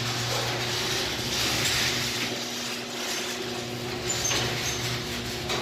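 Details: Garage door opener closing after loose sensor wire nuts were reconnected and secured; previously the door reversed before fully closing. Even motor hum, faint steady tone and soft track rumble as the door travels; closing normally.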